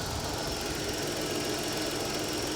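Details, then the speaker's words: 1987 Chrysler LeBaron convertible, 102,000 miles, sat a long time and is still warming up: even, steady idle under a hissy background with no knocks, stumbles or surges; it runs fine, normal idle. "the engine's warming up right now but it's still running fine you can smell it warming up"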